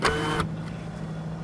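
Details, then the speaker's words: Subaru sunroof motor working normally after trim work: a short smooth electric whirr, a quiet pause, then the whirr again, with no grinding. "listen to this motor it just sounds so good yeah it's so nice sunroof"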